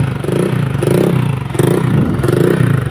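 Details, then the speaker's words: Honda Vario 125 (KZR) that stalls often, especially when hot, with MIL code 52 (crankshaft position sensor): idles unevenly, surging and sagging about twice a second with a sputtering beat, then dies. "Nah, ini hidup ya. Cuman hidupnya ada berebet-berebet ya, kurang normal. Nah, ini berebat-berebat langsung mati ya."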